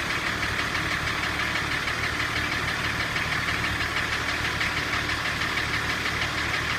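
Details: M51 engine running: a steady knock about three times a second rides over the diesel running note and doesn't let up; engine knock, cause unclear.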